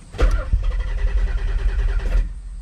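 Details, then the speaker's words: Turbo Nissan 300ZX (Z32) after long storage: starter spins evenly for about two seconds but never catches; the fuel pump gets prime power but no pump hum is heard; owner wonders whether the ECU is bad, crank no start. "Oh, it acted like it wanted to do it. Only thing is is when you leave the key out and you go to turn it, you don't hear anything at all."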